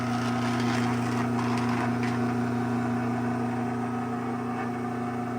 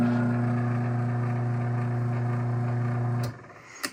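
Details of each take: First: Restored AccessMaster M100 garage door opener from 06/00 on a 9x7 door: steady motor hum with fast rhythmic chatter from a worn top bushing, still noisy after greasing. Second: AccessMaster M100 garage door opener from June 2000, originally on a 16x7 Ideal door and mildly restored, runs with a smooth, steady low motor hum, even faint chain ripple and clean stop; healthy normal opener run while held in foam.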